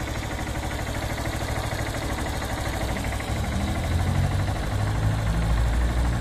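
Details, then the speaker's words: Honda CB190R single-cylinder idling after an oil change to 100% synthetic with Lucas oil stabilizer: steady, even low thrum with no knocks or rattles, and the valve area sounds more stable than before; normal idle. "en mi opinión yo siento que si mejoro ya la que se escucha por esta zona ya no se escucha ya se escucha un poquito más estable tanto las válvulas"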